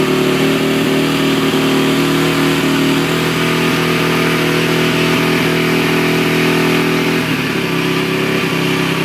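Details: 2008 Honda TRX450ER single-cylinder: starts cold but idles fast and uneven even with choke off, beat stumbling and speed hunting; after shut-off and restart makes a loud noise and dies, something slipping when starting; cause unknown.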